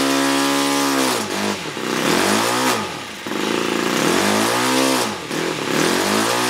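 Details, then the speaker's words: Laser 61 four-stroke glow model engine after removing a metal fragment (likely glow plug wire) jamming the inlet valve open, compression restored: loud, high-pitched run sweeping smoothly with throttle; running healthy. "well it seems to be all going now so let's just give it a little test"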